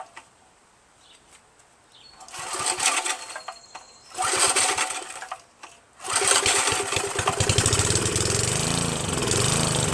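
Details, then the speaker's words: Northern Hydraulics pressure washer, Briggs 3.5HP with ball-bearing recoil and vacuum fuel reservoir, sat 8 years; after starter fluid into the air cleaner, a few pull-start bursts, then it catches and settles into a steady, even buzz, run dry without water. Normal running. "wow that's incredible it started just fine Mike I don't know what you're talking about buddy it runs just fine"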